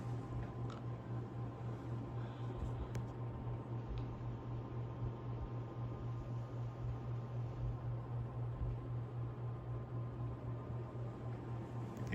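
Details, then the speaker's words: Emerson 47641 48-inch antique ceiling fan, 10° blade pitch, speed coil from a 73648 desk fan, started on high: steady even low hum with faint whir and some motor harmonics while spinning up, no knocks or rubbing; normal. "let's go ahead and start it up on high has some crazy motor harmonics getting up to"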